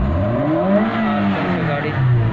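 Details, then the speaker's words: Suzuki Liana M13 after the ignition-coil misfire and rpm-fluctuation repair: the engine rises and falls smoothly in pitch with no stumbles, hunting or jerk, a clean steady pull through the revs; rpm back to original and stable. "ये देखिए बिल्कुल stable पे ए गया बिल्कुल original पर ए गया ये देखिए कितने नहीं है अभी गाड़ी झटका नहीं लेगी"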